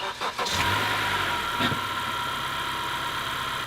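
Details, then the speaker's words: Honda GDI engine with 80,000 miles: catches and settles into a steady, even idle with no shaking; only faint ticking clatter suggesting the valves need adjustment, otherwise smooth, also smooth in gear. "has 80 000 miles on it and other than a little clattering meaning the valves needed adjustment it's running smooth as can be no shaking at all"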